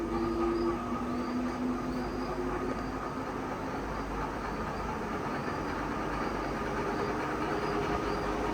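Constant electrical hum with a faint chirp repeating about every two-thirds of a second, a humming ceiling fan motor of unclear cause.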